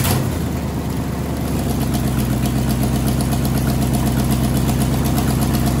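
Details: Ford Y-block V8, garage rebuild with a rehone, just started after fixing plug wiring and TDC errors; catches right away and settles into a steady even idle, firing smooth and regular with no misses, knocks or ticks.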